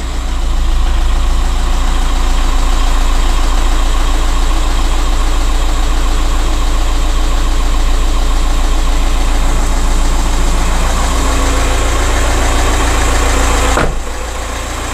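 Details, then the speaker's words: 2007 VW Caddy 1.9 TDI 105hp BLS diesel, just started after replacing the alternator pulley, auxiliary belt and tensioner (belt had squealed, then alternator light came on); steady, even diesel idle with smooth low rumble, no squeal or chirp; battery light still on. "So it started. That's a good sign."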